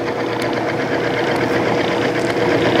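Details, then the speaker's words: Timken OK load test machine running a rotating arbor lubricated with Amsoil 10W-30 synthetic, just before the first weight is added; noisy at first, then settling into a steady, even whir; running smoothly at light load. "as you hear it started off noisy now it's quieting down and let's go ahead and start putting one weight on"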